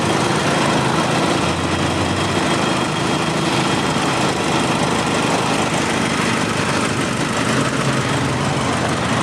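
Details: 2009 Nissan Navara 2.5 diesel, 6-speed manual, idling with the air-con compressor engaged and working normally, no smoke: the diesel idles evenly at steady speed with no knocks or rattles; a healthy idle.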